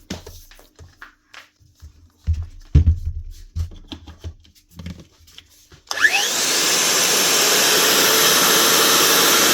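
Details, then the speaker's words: Makita GA9040S 2400 W angle grinder from a Laserchaser wall chaser, failed bearing found, tested with the head removed: motor spins up to a smooth steady high whine with no rattle or grinding. Normal motor run. "Just test it again now with the head off. Make sure the actual motor sounds good."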